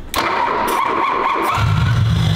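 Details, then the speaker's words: Long-abandoned barn-find BMW E32 740i: starter whirs steadily as the engine cranks, then only a rough low rumble. It won't start because no fuel is reaching the engine, though it briefly fires on starting fluid. "questo il motore non riceve carburante , ecco perché non si avvia, ma le buone manovre si avviano un po 'con un po' di liquido di avviamento, quindi va bene"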